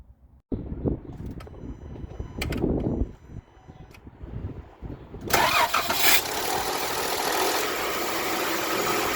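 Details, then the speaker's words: 2016 Jeep Wrangler JK 3.6L Pentastar with Baxter oil filter adapter: engine catches and clatters roughly for the first couple of seconds; dry start rattle before full oil pressure, which the adapter did little to prevent. "pentastar engines are known for a dry start issue where the engine takes about 2 to 3 seconds to actually get to full oil pressure. And in that 2 to 3 seconds, you can hear the engine making a lot of rattling noise."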